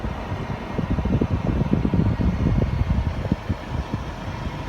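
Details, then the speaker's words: 2014 Toyota Sienna after blower fan motor replacement, fan at maximum: steady rushing airflow with no whine or squeal, unlike the malfunctioning noise before; the new blower motor sounds healthy. "well they are blowing pretty nice now okay but we don't hear any noise i don't know you guys can hear it or not but i don't hear any uh whining noise or any uh any uh flower fan noise malfunctioning like before yeah it's all pretty uh nice and clean"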